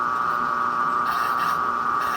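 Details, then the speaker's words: Washing machine spin cycle, running with lid switch disabled: loud, steady high whine with no knocking, very loud for an apartment; owner suspects the motor, cause unconfirmed; water pump also noted as somewhat noisy from age. "isso aqui para quem tem apartamento é um horror barulho muito alto vizinho já acha ruim"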